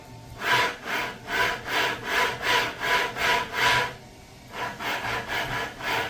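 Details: Volvo S90 electric power steering rack: rough rasping grind in steady strokes about two and a half per second, pausing and returning as the wheel is turned; the rack grinding is said to be repairable.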